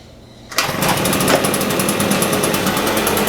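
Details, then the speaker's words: Husqvarna 150BT backpack blower, rebuilt from a pile of parts after a no-start (owner blamed the coil; carb kit fitted), fully reassembled and tested the next day: catches at once, steady even two-stroke drone, no misfires or surging; running properly. "well there you go so you saw this blower go from a pile of parts to an actual working machine pretty cool huh"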